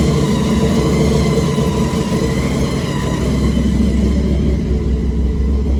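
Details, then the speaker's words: Supercharged big-block V8 truck after Terminator X EFI conversion, restarted with a fresh tune, idling around 1500 rpm: deep steady rumble, even idle with no misses or knocks; running normally after re-tune. "as you can tell, you got it running a lot better. Tune seemed to do the job."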